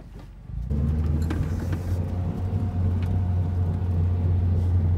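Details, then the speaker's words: Mazdaspeed3 driving at speed; loud steady low droning hum, louder road noise with a speed-related rubbing in left turns and a slight hum in right turns. Confirmed worn front wheel bearing. "whenever I take a left turn it actually you can hear the thud or I guess that's not a thud but it's sort of like rubbing or some sort of noise that does correlate to the the speed that you're going"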